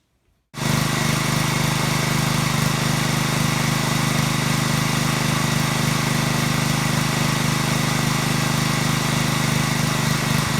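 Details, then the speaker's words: Small-engine pressure washer after cleaning the clogged carburetor pilot jet: starts and settles into a steady, even buzz with no surging or hunting; runs smoothly. "Night and day, runs absolutely smooth, no surging, no hunting, no waffling, no RPMs going up and down. It runs nice and smooth."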